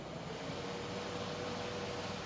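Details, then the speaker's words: Solar fan swapped to a 7.4 V lithium-ion battery: steady even airy whir with faint hum, no rattle or scrape; fan runs smoothly and stronger because of the higher voltage. "malakas siya. kasi mataas yung voltahe eh. 7.4 volts eh."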